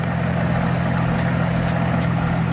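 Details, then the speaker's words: 2003 GMC Envoy 4.2L with its correct replacement alternator, at about 40 degrees outside. With the battery disconnected the engine keeps idling smoothly, confirming a good alternator. "if you got a good alternator she's not gonna shut down all right as you can see I got that part from it [Music] and we are a good shape"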